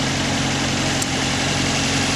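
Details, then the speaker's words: 1986 Toyota Sprinter Trueno AE86 GT-Apex, 4A-G engine, about 131,324 km: starts without problem and idles evenly with a lively, slightly rattly top end; no misses or knocks; camera exaggerates high frequencies. "first off the engine started up without a problem and seems to run well these 4 AG engines are rather loud engine compared to Modern engines these days"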